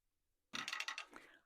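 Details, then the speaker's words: Backing bar ratchet on a HandiQuilter longarm quilting frame being wound with a hand wheel: a quick run of crisp, evenly spaced clicks showing the ratchet is engaging in the correct direction; normal. "Can you hear that clicking noise from the ratchet? That's your sign that you've got it going the correct direction."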